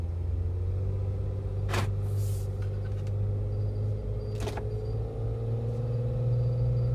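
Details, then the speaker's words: Jeep Wrangler after a muddy, deep-water off-road trip in freezing weather: a faint wavering metallic whistle over a low engine rumble with brief bangs; it appears after the Jeep sits 4–5 hours. Owner suspects an unlubricated metal part or mud. "to me it almost sounds like it's something metal that's supposed to be lubricated and when the jeeps kind of just sitting out overnight whatever it is it supposed to be lubricated it becomes unlubricated"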